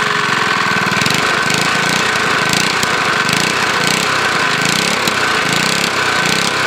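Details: Briggs lawnmower engine with a JB Weld-epoxied, worn crankshaft connecting rod journal, running with no blade; a fast rapping tick on the busy idle, steady with engine speed; suspected light rod knock.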